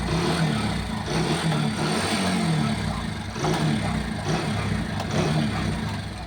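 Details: Mahindra Centuro motorcycle running: faint, irregular kat-kat clacks from the rear chain area as the chain slaps a bent chain guard; the fix is to tighten the chain properly so it no longer touches the guard.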